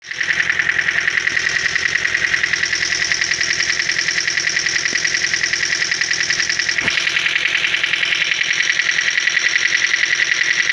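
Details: Toyota, cold engine: sharp, light ticking three or four times a second, steady over cold idle; hydraulic lifters clattering.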